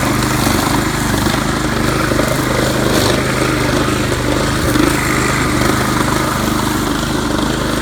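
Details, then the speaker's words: Craftsman 536.773500 weed trimmer with a swapped-in Honda engine from a pressure washer, running at about 80%: a fast, uneven buzz that wavers and stumbles. The owner suspects the carb needs cleaning and possibly a new spark plug. "As I said before, it's not running 100% perfect, but sure beats spending over $300 on a new motor on sale."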